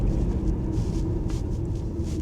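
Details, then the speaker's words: Deep, even diesel drone under throttle with road rumble, no knocks or slipping, on an Audi A4 saved from scrap after failing its MOT. The engine, clutch and gearbox seem fine. A near-side front suspension knock was heard. "but the engine seems strong. Clutch is good. Gearbox seems fine. It's smooth. pulls well."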